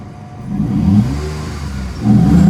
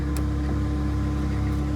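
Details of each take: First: Vauxhall Vectra GSi V6 with low fuel and a leaking power steering pump; smooth idle broken by three or four quick blips, revs climbing and falling cleanly with a deep even exhaust note; normal engine revving. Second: Vauxhall Vectra GSi just started, fuel low: a steady whine over a smooth idle from the power steering pump, low on fluid after a leak. The fix is topping up the power steering fluid.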